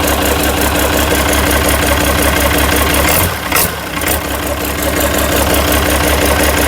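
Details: International DT360 diesel on test stand before swap into 1973 Ford F250, fan and belts removed: steady low diesel clatter at even idle, regular rhythm, no misses or odd knocks; healthy runner.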